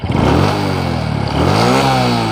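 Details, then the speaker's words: Honda Supra X 125 Karisma after new parts fitted, road test: engine revs cleanly through the gear, pitch climbing smoothly without slipping or rattling; sounds heavier and pulls better, climbing hills more strongly. "di sini suaranya terdengar lebih agak berat ya agak bertenaga"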